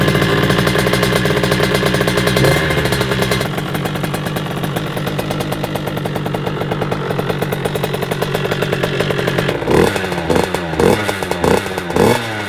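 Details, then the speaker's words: 50cc two-stroke moped, about 21 mm carburetor with jets checked, on test day after repair: busy, crackly idle with steady rattle and a few quick throttle blips; healthy. "bah voilà les gars, je pense qu'on l'entend dans le fond au ralenti."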